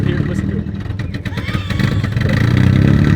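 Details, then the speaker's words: Impound-lot wrecked Volvo 240 wagon idling: loud rough low rumble with uneven puffing from a hole in the exhaust, idle randomly surging by itself; exhaust leak. "Dude, you got to hear the exhaust. That's like where all the sound is coming from. This hole right here."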